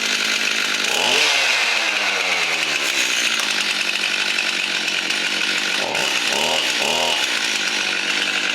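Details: Stihl MS 271 chainsaw that wouldn't start and squealed on pulling, once a blockage dislodged: two-stroke buzz climbs cleanly on each throttle blip and settles back without stumbling; starts and runs properly.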